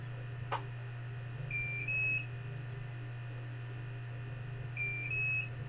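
A pair of rising two-tone beeps repeats about every three seconds over a steady low hum; the UPS is alarming on battery power.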